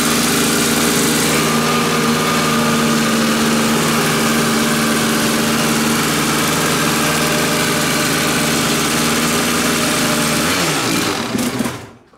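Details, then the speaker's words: Kawasaki two-stroke dirt bike on a new genuine Keihin PWK Air Striker carburetor, untuned out of the box. Crisp, steady idle, less lean than the Chinese replica carb; normal running. "that carburetor straight out of the box I can tell it runs better than the China specials maybe the child special can be tuned but it just felt crisper it didn't run as lean and I haven't even messed with it yet"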